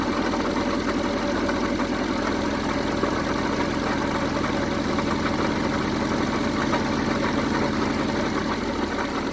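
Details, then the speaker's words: 1974 Honda Civic Series 1 (Mk1) on a test run after the plug leads were refitted: an uneven, lumpy idle with an irregular stumble, about four pulses a second. Still misfiring, so a compression check follows. "Well, it's running, but it's not running at its best."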